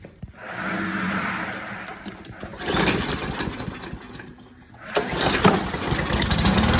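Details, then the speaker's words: 2015 Yard Machine mower, Briggs & Stratton 140cc, carb with missing o-ring, after carb cleaner spray: sputters and surges with skipped beats, missing; previously ran a couple of seconds and died. "as you can hear it's missing a little bit uh but it does run now before that it would just run in for a couple seconds and shut off"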